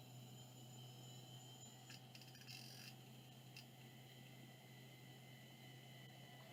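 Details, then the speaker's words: 5.25-inch slimline hard drive (pins bent outward, no jumper), bench-tested on power-up: quiet steady low hum with faint head-settling ticks, spins up smoothly and is detected; normal spin-up, further testing pending. "sure looks like it detected yeah well there you go I think that's working so neat"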